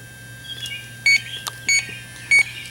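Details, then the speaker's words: 2005 Chrysler Town & Country, refrigerant leak detector on its most sensitive setting at the patched 5/8" rear A/C suction line: three short high beeps over a quiet hiss, detecting only a trace leak; nothing registers on the low or medium settings. "Switch it to the highest setting, most sensitive. Okay, there you can hear it. It's detecting something there on the highest setting."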